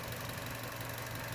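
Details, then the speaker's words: Chevy Cruze 1.4 turbo at about 90,000 miles, idling after the EVAP purge solenoid was replaced: quiet, even, smooth idle with no plastic rattling or ticking anymore; normal idle. "daddy that purge solenoid isn't making that plastic rattling noise anymore sounds a lot better right now"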